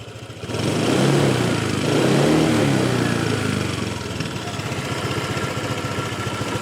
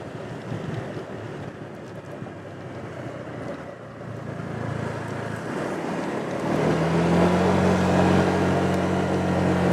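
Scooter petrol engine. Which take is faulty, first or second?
first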